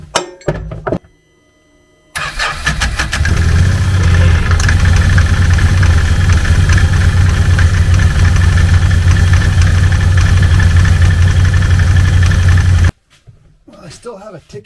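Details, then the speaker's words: 2014 Can-Am Commander 800 at idle after primary clutch removal, cleaning and one-way bearing greasing, belt refitted: steady idle with light tick about four per second from clutch; rattle much quieter, slop noticed in a part. "it's a lot quieter than it was but now i notice that this one here this one has a little bit of slop in it"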